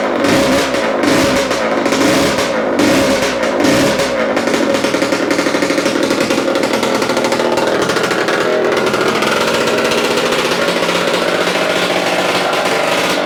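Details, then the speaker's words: Yamaha AT-2 MX 125 two-stroke will not rev past 2000 rpm, with ignition suspected; after rewiring it crackles and stutters unevenly with a rough drone, better but still not right and slightly rich; misfire and poor revving. "thank you so it's better but still not right"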